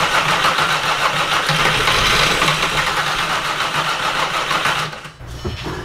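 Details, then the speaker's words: 3.6L VR6 swapped into a MK4 Jetta GLI (anniversary edition), first fire-up: engine runs rough with an irregular stumble then stalls, sounding fuel-starved; suspected fuel starvation, possibly long fuel line, plus a suspected vacuum leak from an evap hose. "I was going to say it needs more it sounds like it's starving fuel"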